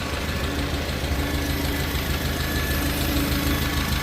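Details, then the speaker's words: 1950 Farmall Cub four-cylinder after engine rebuild with pop-up pistons, new magneto and on-off switch: smooth even idle with steady low beat, no knock, miss, hunting or smoke; quiet, healthy. "Sounds good, sounds quiet. No smoke. Purrs like a kitten. And a new on-off switch. Yeah, she definitely runs really good now."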